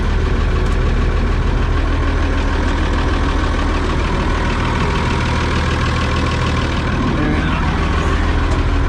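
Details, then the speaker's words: Oliver 7300 combine after variable speed drive thrust bearing replacement (old bearing dry and rough): heavy diesel at a steady even drone, no grinding or knocking from the drive, quieter than before from the cab. "I'm gonna fire it up real quick and then I got a flashlight and we'll take a peek and make sure everything's chooching the way it's supposed to. Quieter because I can't hear it from the cab like I used to be able to."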